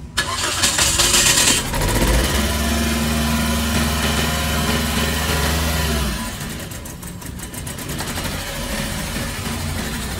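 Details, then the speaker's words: Toyota Vios Dual VVT-i, first start after engine overhaul: starter cranks, engine catches with a little throttle, holds a high uneven idle before dropping; misfiring somewhat, cause not yet determined, to be observed once warmed up. "Then titiningin natin yung tunog na yan. Hindi po pwedeng ganyan yan. So for now, medyo palyado yan."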